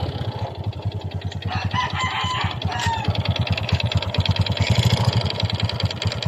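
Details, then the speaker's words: Honda XRM 125 single-cylinder idling with a hollow, rhythmic knock from the cylinder, louder when revved; piston slap after the engine ran without oil, with white smoke also reported. "pero yan tunog na yan is piston laap guys"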